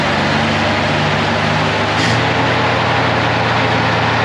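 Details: 1956 GMC 630 fire truck, 503 straight-six, rescued off a farm, idling after a successful start: even, steady idle with a smooth low beat and no misses, ticks or knocks. The engine runs healthy.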